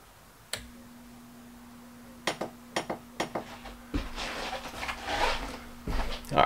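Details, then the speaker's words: Dometic RV roof air conditioner unused for several months, fan-only mode: control-board relay clicks closed, then a steady low hum with no airflow; fan motor energized but won't start. "sure enough you hear you hear the relay on the control board click closed and you can hear the fan hum"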